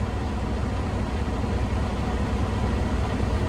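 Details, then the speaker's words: 2017 Freightliner Cascadia with DD15 diesel, 828,000 miles, after DEF pump fault repair and cleared codes; weak batteries on cranking: deep idle with uneven, lumpy beat; mechanic suspects low compression. "I don't like the way this truck is feeling or sounding. I mean, this might be a compression issue. It does have 828,000 miles."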